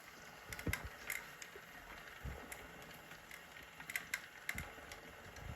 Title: Clicking Noise Zwift bike